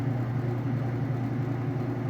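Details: Whirlpool Direct Drive top-load washer in final spin after a fast drain, speeding up as water is extracted; even low hum with steady drone, no knocking or scraping, smooth healthy spin before lid switch stops it.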